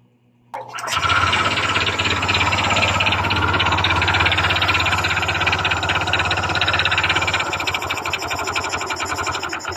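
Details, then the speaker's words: Honda Click 125 scooter started with the CVT (panggilid) removed, suggesting the noise is internal. Fast, hard rhythmic knock about three to four per second over the running note. Connecting rod knock. "Yun o, nandun pa rin ang ingay ng kanyang makina guys. Makalampag pa rin."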